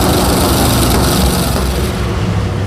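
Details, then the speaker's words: Rear-engine mini truck V8 after correcting swapped plug wires 5 and 7 and a burnt number 3 lead touching the header; loud, steady, deep rumble with no obvious misfire, running much smoother. "Okay. Well, let's run it again. I bet it starts better now too. Probably. Oh, that sounds much better."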